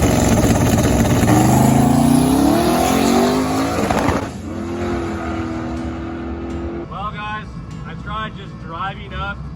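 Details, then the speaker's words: Twin-turbo LS-swapped first-gen Camaro after a tune error; throttle body found loose, data log showed 16.8 AFR. Lumpy, uneven tractor-like chuffing instead of a clean rev; misfire on one bank, likely dead cylinders from no spark. "as you can tell it sounds like a full-on tractor right now"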